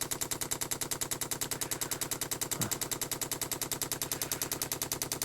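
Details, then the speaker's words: 24 V dosing pump bodged onto a 12 V heater, priming from the controller's inject-oil button: crisp even ticking with double clicks, moving more fuel than the other pump; the line should fill and the bubbles lessen. Priming normally. "would do that's because we're getting double clicks all right that should fill up and then we should start to get less bubbles"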